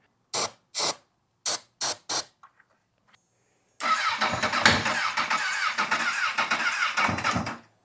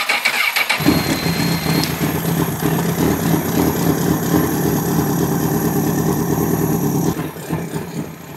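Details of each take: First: Lightly crashed Honda CBR1000RR cranked in five short bursts on starting fluid, then a rough, ragged roar as it catches; ignition active but not getting fuel, and something makes a really bad noise, cause unknown. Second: Honda CBR1000RR, lightly crashed, bought as running but found with water-and-oil-looking fluids, on block (combustion leak) test: catches quickly and settles into a smooth, even idle, no ticking or knocking; test fluid stays blue, motor sounds good.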